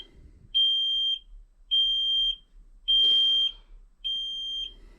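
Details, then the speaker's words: Kenworth T370 diesel truck, key on, engine off, after DPF pressure sensor code read: shrill half-second beep about every 1.2 seconds in quiet cab; cab warning buzzer. "but I'm sorry about the beeping this is terrible"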